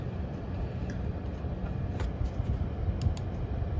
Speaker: so right now it's on its default fan mode it's not the zero decimal mode just the auto fan on msi effort barrier so here's what it sounds like default 40 speed so you can see the fan spinning